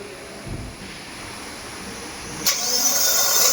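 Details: Kia (Seltos/Sonet/Carens) starting: quiet hiss, then brief clean crank as engine catches and settles into smooth run; starting noise now gone, normal starter cranking and start.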